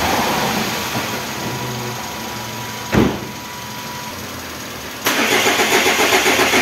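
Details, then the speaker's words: Renault Kangoo F8Q 1.9 diesel adapted from Lucas Delphi DPC to mechanical Bosch VE pump, just repaired after racing and not holding idle; after injector bleeding and glow plugs, slow cranking, catches near three seconds, then steady clatter; normal start. "ahí arrancó el motorcito Bueno ahora voy a pararlo voy a instalar la correa de accesorios y ahí vamos a seguir haciendo pruebas"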